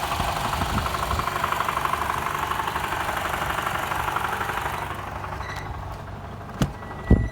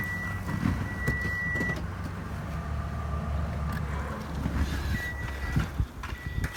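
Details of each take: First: A Toyota Camry XV50 2.5 L idles with a dull knock about twice a second and vibration under load, fading to a light rattle without load; fixed by replacing the balance shafts. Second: Toyota Camry 50 2.5 petrol engine at a smooth, even idle with a steady low hum and no knocking under load, after balance shaft replacement cured the knock and vibration at idle under load.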